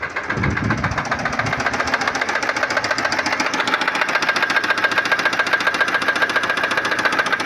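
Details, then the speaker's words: Engine at idle with the oil warning light staying on: sharp, regular metallic knocking at about three and a half beats per second from the front of the engine, no power; heavy carbonised oil sludge found in the sump. "Ó, [Aplausos] batendo. Não tem força."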